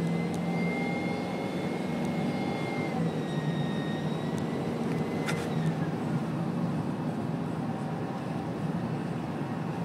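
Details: 2011 Ford F-550 diesel: rumble with high turbo whistle rising and falling with revs; turbocharger wheel has a chunk missing from a fin, getting ready to fail.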